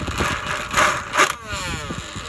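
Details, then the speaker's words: Childhood Lego boat converted to RC: loud, irregular clattering rattle over a small motor whine that winds down, because the prop shaft is unsupported (epoxy came loose) and the cheap plastic coupler is sloppy. "I'm having an issue with the shaft, and it's just making a ton of noise. I mean, it sounds like it's broken."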